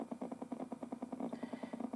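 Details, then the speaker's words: FPGA board's D/A converter output through an audio amplifier: a low buzzy hum pulsing about eight times a second under the tone, changing when the mouse moves or compiling starts; noise from the computer's USB power supply. "so what's happening is that the noise is coming from the computer's power supply because right now the computer power supply is making the fpga board go"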